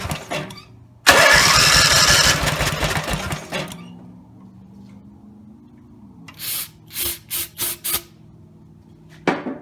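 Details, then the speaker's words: Rebuilt Briggs and Stratton 17HP (carb rebuilt, plugs, sump, oil slinger, gaskets replaced, valves reseated) screams at full throttle a few seconds, then sags to a faint, weak putter; no steady idle; owner suspects the throttle linkage lever isn't resting on its screw. "I can start it it'll start up if I put the throttle all the way up and just rev up really loud like the engines gonna blow and but if I turn it back down it doesn't either a little just died on me"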